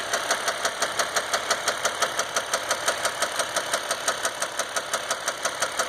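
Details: 2015 Dodge EcoDiesel with 18k miles, before second oil change: steady sharp knock about three times a second at idle; no check engine light, normal gauges and oil pressure, but no power and heavy shaking; cause not found.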